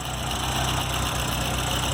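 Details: Lowered VW Gol G4 Power 1.6 AP engine at idle, poly-V accessory belt, no A/C: a constant whirring, rushing noise. Water pump was suspected; the noise persisted with the accessory belt removed and sits inside the timing belt area.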